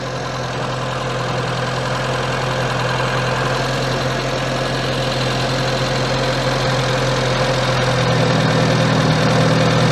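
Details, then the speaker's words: Austin Allegro 1300 Estate at idle during ignition timing adjustment, timing still advanced at about 20 degrees before the distributor is turned back: a faint regular tapping about four per second that smooths and rises slightly as timing is eased; rough idle. "No, that's still slightly advanced. That's still around 20. Okay. So, let's dial this back on distributor."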